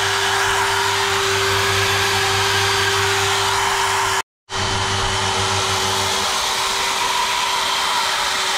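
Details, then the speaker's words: GTPRO ceiling sander with Makita-type brushed motor, after opening it to check suspected worn brushes. Steady high whine, briefly cut and restarted, no sparking crackle: normal running, brushes still bedding in. "Okay, good news, it works 100%. When you turn on, you don't hear the sparky fast sound, but it's for time being, it will rest themselves in."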